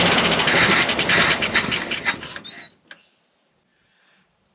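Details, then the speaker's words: Long-sitting Dodge W300 4x4 dump truck; rough popping bursts for a couple of seconds, then fades and stops; ignition and compression work, carburetor not getting enough fuel. "that was nice it means we have ignition is working um compressions working all that good stuff just a matter of getting fuel in the carburetor and the right amount"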